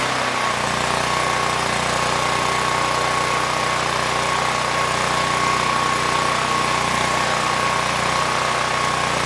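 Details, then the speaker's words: PowerStroke 6000 W generator, about 12 years old, stored outside with rusted debris-filled tank and mud in carburetor; fuel bowl filled, started second pull, steady governed drone with thin whine, no surging, 61.1 Hz and about 121 V; normal running. "it started second pull engine speed stabilized governor's doing a good job"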